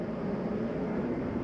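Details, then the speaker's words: 2019 Rockwood 2707WS travel trailer, gas furnace heat turned off at the thermostat; even, steady airy blower rush with no knocks or rubbing, fan running a few minutes after heat shuts off; normal furnace blower run-on. "biggest thing I want you to notice is when I shut the heat off that it takes a few minutes to cycle through before the fan shuts off"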